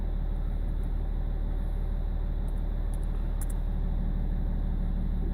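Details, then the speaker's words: BMW E46 330d M Sport diesel, rough lumpy idle and judder around 1500 rpm: deep even throb with juddery shake during INPA actuator test at 70; injector 6 diagnosed as faulty, cylinders 1, 2, 4 also flagged. "It's juddering now. It's weird."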